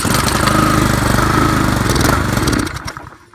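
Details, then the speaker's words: Craftsman weed trimmer 536.773500 with a Honda engine swapped in, running an old pressure-washer carb and no manual choke, first start: ragged, surging, uneven running, then dies. Owner suspects the carb needs cleaning. "It's promising. It's not running as well as it should, but at least it's running."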